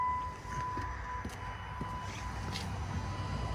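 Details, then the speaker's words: Cummins diesel single-cab truck, key on: faint steady high whir of the electric lift pump priming under a low rumble; pump now works after pushing its half-unplugged connector with broken clip back in. "I turned the key on and the lift pump came on. So there you go, you can hear it."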